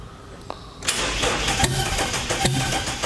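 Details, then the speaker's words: Car that made about 440–450 on the dyno and has killed three starter motors and two batteries. The starter churns about three times a second with uneven catches but no clean firing, a prolonged hard crank before it eventually starts. "Oh, doesn't sound good. Come on, Baz. You can do it, Baz."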